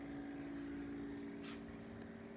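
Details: LG refrigerator, noise began under 6 months after purchase and took three repair visits. A loud, steady running hum with a clear tone near 280 Hz.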